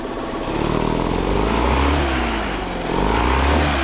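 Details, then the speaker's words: Outboard with cowling on, idle screw maybe slightly high, air mixture screw about 1½ to 1⅔ turns out (the sweet spot); smooth, even low beat swelling gently with throttle, no misses; normal idle. "But, that air mixture screw right here is roughly about 1 and a half to 1 and 2/3 out. It seems to be the sweet spot, I think."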